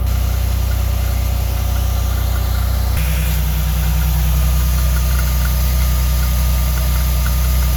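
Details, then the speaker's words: 1989 Chevy Celebrity, 205,000 miles, after TPS replacement: steady smooth idle with a thin constant high squeal on top; owner believes the belt tensioner is bad, not confirmed. "Well, let's fire it up. See how she runs. besides that screaming tensioner over there making noise."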